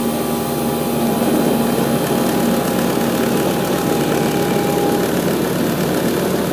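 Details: Rheem RE Imperial 80 Plus air conditioner outdoor unit starting up, recorded by an iPad set on the line set with a Bryant unit running nearby: the compressor kicks in and settles into a steady, even hum under the fan's whoosh, a normal clean start.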